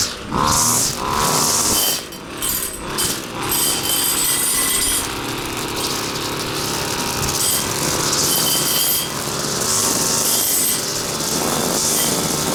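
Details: Husqvarna two-stroke trimmer after carburetor clean and reassembly, test run without air filter: revs crisply and holds a steady high buzz without bogging or surging; runs properly, high needle maybe needs slight tweak.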